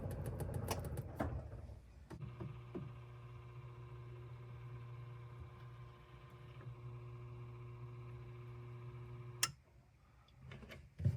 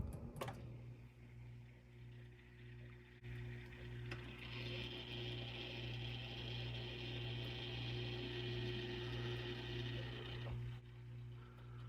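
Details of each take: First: Whirlpool refrigerator after replacing the damper (WPW10479155), which was noisy a couple of times a day: a smooth, even motor hum for about seven seconds with no clicks or grinding, then it stops. The new damper moves quietly, as it should. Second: Whirlpool fridge with the complaint of a cracking or weird noise every couple of hours: steady low hum with a faint, even ticking grind as the air damper motor closes when the fridge is switched off; faulty damper motor, replaced (WPW10479155).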